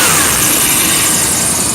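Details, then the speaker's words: 1991 Chevy Blazer 350 TBI at idle: steady, even idle with a strong hiss, no knock or chatter, slight alternator belt squeal. "So, no knock and no chatter. It's got a little bit of alternator squeal. The belt's squealing."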